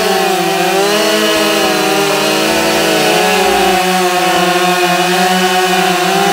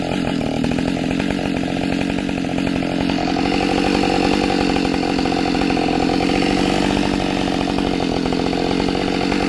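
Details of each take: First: Husqvarna 572XP autotune chainsaw cutting white pine at full throttle after the autotune adjustment idle procedure. Steady, strong high-revving scream that holds pitch under load; cuts much faster than before, healthy cutting. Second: Husqvarna 572XP autotune chainsaw cutting punky, rotten white pine, already used for a few cuts but before the idle-adjustment procedure: it pulls steadily through the cut, then revs hunt unevenly as the autotune is still adjusting.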